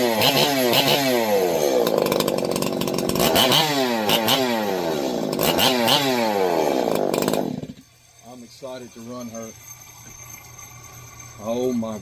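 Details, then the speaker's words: Ported Holzfforma G366 Pro chainsaw with a triple-port muffler mod, first start while running only one piston ring: the two-stroke screams at full revs, pitch rising and falling crisply before dropping off. Normal running at high revs. "god, am I excited to run that one. That sounds fierce."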